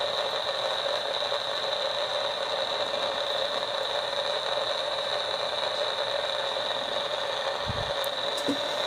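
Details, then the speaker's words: DIY AM superhet receiver, just finished wiring, antenna temporarily on clip leads: steady even hiss with fixed whistles, no voice or music getting through; owner doubts it's actually picking up the local station. "I can almost make out something in there but I've just I can't hear it so my my deal is I don't think it's actually picking up the radio station though"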